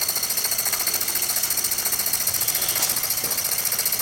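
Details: Jensen #5 steam engine running normally at adjustable speed: light quick chuffing about three or four puffs a second with steady hissing, running smoothly.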